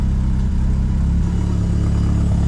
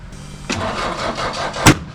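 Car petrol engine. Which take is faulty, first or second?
second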